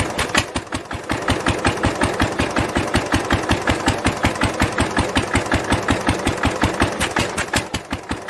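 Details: 1946 International LB 3-5 hp hopper-cooled engine with a new homemade glasspack muffler: sharp, evenly spaced exhaust pops at about 160 a minute, firm and steady with no misses; engine running healthily.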